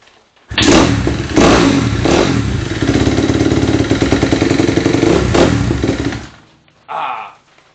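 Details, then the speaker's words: Kawasaki KX250F after oil change, indoors in shop, slow kicks first to prime oil: single-cylinder catches after a couple of kicks and settles into quick, crisp idle; normal start. "But we're going to see how many kicks it takes to fire up."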